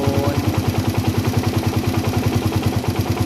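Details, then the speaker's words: Single-cylinder motorcycle carburetor being set: as the air screw is closed further, idle popping slows and rpm keeps dropping toward stalling; idle speed drop from closing the carburettor air screw. "ini saya tutup dulu nah kedengeran kan RPM turun nah kedengeran semakin saya tutup RPM semakin turun semakin turun"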